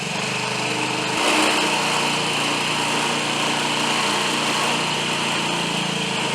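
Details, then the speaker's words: 2005 Honda Metropolitan scooter after carburetor repair and throttle adjustment, kick-started and slightly warmed: a steady, buzzy single-cylinder idle that settles evenly without misses, surging or rattles. Idle is normal, though it needed one more adjustment at full operating temperature. "you can hear the idols settle down what's it warmed up just a bit and it's ready to go"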